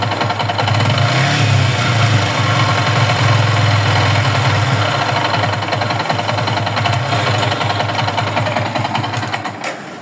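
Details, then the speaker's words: Yamaha R15 V3 motorcycle engine at idle: rough, uneven knocking rather than a clean even beat; an abnormal engine noise that some mechanics blamed on the rings, piston and connecting rod, needing a full engine job. "তো বন্ধুরা, আপনারা বাইকের সাউন্ডটি শুনলেন, দেখলেন কি বাজে একটা sound."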